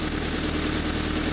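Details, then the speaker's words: Honda Civic four-cylinder after rod knock repair, at idle: light quick constant tick low on the engine, suspected exhaust leak; no power steering squeal, no shaking. "she's alive here an exhaust leak you have a little bit tick down there it sounds like"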